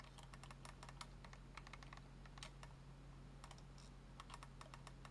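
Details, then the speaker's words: Razer DeathAdder Elite mouse after the stuck-button fix: crisp single clicks at irregular spacing, each a clean quick snap with no double-click, while the DPI buttons are shown working. Normal button clicks. "There we go. So just to show that the button's actually working."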